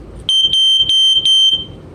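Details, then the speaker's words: Sears 302.57475 smoke alarm with silencer triggered, now sounding reliably; shrill steady high tone over a second with sharp pulses, pitch heard as about F sharp. Normal alarm tone. "you know to me it sounds more like F sharp but again before sometimes my hearing in that range is like half step lower and it should be"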